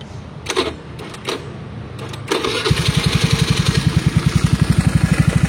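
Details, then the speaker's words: Honda Vario 110 carburetor scooter fitted with an R-One standard racing exhaust, recorded on a phone mic: even idle with a fast regular tick, about four a second, over the low exhaust note. Ticking at idle. "jadi sekarang motor gue itu agak ngeletek kalau lagi lamsang ya kedengaran banget suara ngeleteknya"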